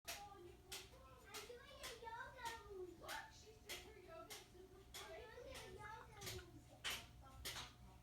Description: Whenever the hot water starts to run--for the dishwasher, shower, sink, etc-- we hear a pipes banging sound like the one in this video.